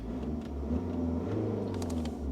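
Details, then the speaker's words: 2010 BMW E82 120d 1 Series Coupe, salvage car: smooth, even diesel idle with no knocks after starting, though the start button must be held unusually long before it cranks; owner plans to replace the button. "And yeah, but at least the car is starting, guys. At least the car is starting, and it sounds good."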